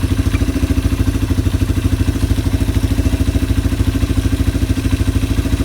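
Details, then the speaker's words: Yamaha ATV (four-wheeler) carburetor just cleaned, reassembled and float-adjusted, no fuel from overflow; engine idling to clear leftover WD-40 from the carb. Even single-cylinder thump at steady idle, no stumbles, surging or misses: normal idle. "I'm gonna go ahead, I've got it idling, I'm just clearing out all the WD-40 if there's any in the carburetor left."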